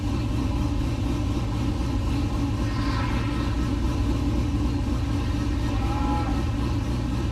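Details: LS-swapped 1969 C50 farm truck, just after power steering rebuild with some remaining fluid leak; steady even V8 idle with low rumble, no knocks or misses; normal idle.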